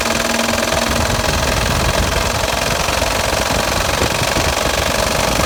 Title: Blown up engine got rod knock